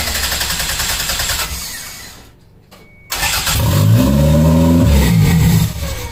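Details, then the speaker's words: Toyota MR2 engine, recorded from on top of the trunk. The owner suspects an IAC sensor or vacuum leak. It cranks and catches, then the idle surges and sags unevenly through an open vacuum line; capping the line gives a good idle. Rough idle from vacuum leak. "the issue that I think I'm having is either an iak um sensor or something something something with the vacuum is is giving me issues"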